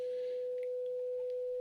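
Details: Graetz Comedia 616 tube radio after capacitor replacement, first power-up: 500 Hz generator tone via 1 µF capacitor into power amp tube reproduced clean and steady, no buzz, hum or crackle, undistorted.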